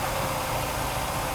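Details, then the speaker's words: Restored Mercedes W126 300SEL warm idle around 820–830 rpm, held stable by the idle motor; smooth, even low rumble with no misses, knocks or hunting; fuel return 2.9, oxygen 1.1, normal idle. "idle motor, which is also functioning normally. Then we see that his RPM is currently around 820 to 830."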